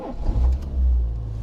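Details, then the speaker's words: Peugeot 207 1.4 petrol four-cylinder at auction, 124,000 miles, already running when reached: smooth, steady low hum with an even beat and no knocks or rattles. A normal, clean idle. "Yeah, that sounds good. I mean, these 1.4s, they're sort of cheap and cheerful, very reliable in general."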